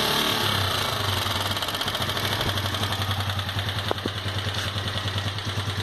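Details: Sundown MAX 125 motorcycle: fast, steady metallic clatter over the idle at roughly three ticks a second from the top end of the engine; cause unknown.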